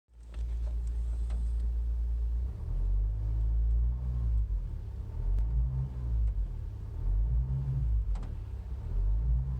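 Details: Vauxhall Astra H 1.9 CDTI: a deep droning hum inside the cabin between 1,000 and 2,000 rpm, throbbing every couple of seconds. It is also heard when setting off but not outside the car, and the source is unknown.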